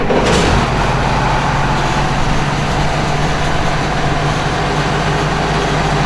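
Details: Combine harvester after repair with new shaft bearings, part from an older 2388 series, fired up while fan speed varied to check: heavy diesel drone, steady low hum and even fan rush, no knocking or grinding; healthy.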